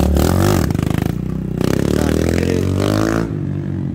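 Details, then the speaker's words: Honda Fan 160 bored to 205cc, gasoline, first ride on the street after engine build, not yet tuned; single-cylinder revs with choppy stumbling uneven pulses, heavy misfire under acceleration; needs tuning, cause unconfirmed. "essa moto vai ficar boa mano Boa boa mesmo muita falta a moto mano tá dando muita muita falta"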